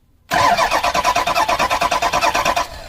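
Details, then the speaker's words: Ford Super Duty diesel, starter bypassed, about 40°F, glow plugs possibly not working: brisk, even cranking at nine to ten pulses a second with no grinding; normal starter cranking. "Yep, spins over."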